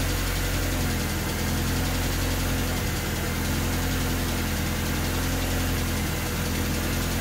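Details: Honda D16Y8 engine on P28 ECU, idle after new spark plug wires and cleaned IACV reinstalled: idle wavers and stumbles with uneven dips, nearly stalling after throttle release; wires and IACV made no difference, cause unknown.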